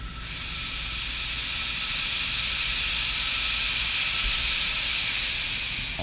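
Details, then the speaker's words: Ford Powerstroke diesel with ARP head studs puking coolant, cap pressure-tested: steady sharp hiss for six seconds as the radiator cap vents at 20 psi instead of rated 25; cap releasing early, replaced. "see it's leaking now so it's leaking early so it is early it's leaking at 20 not 25."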